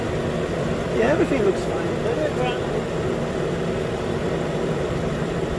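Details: 2013 Nissan Pathfinder at 265k miles, after a new AC clutch and serpentine belt: even low idle with a brief click-chirp as the new compressor clutch engages, then a smooth steady run with the AC on; normal.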